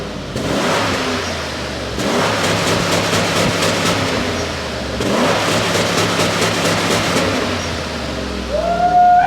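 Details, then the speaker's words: 1997 Ford Taurus SHO, Yamaha-built 3.4L V8, free revving: crisp revs rise and fall cleanly twice with no misses, knocks or rattles; healthy V8 exhaust note despite the car's known transmission issues. "but as you can see this thing is a pretty awesome monster of a vehicle it just sounds good nice V Roar"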